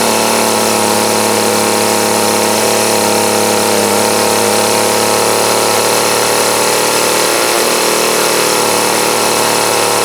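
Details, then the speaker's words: 2008 Troy-Bilt TB20CS 31cc two-stroke trimmer after new fuel lines, fuel filter, primer and carburetor adjustment: high steady buzz holds even for ten seconds with no stumbles; running well, carb needs slight tweak. "So, very good. Now you can hear that thunder. So now, with that, it still needs tweaked just a little bit, but she's running good, so now it's a win."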